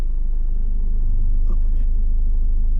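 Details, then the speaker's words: Diesel car with 5-speed gearbox in reverse on level road, clutch raised to biting point: steady low thrum that deepens as the clutch takes up; engine loaded just short of stalling, any higher and it stalls. "can hear the noise change. If I come any higher on the clutch, the car will stall."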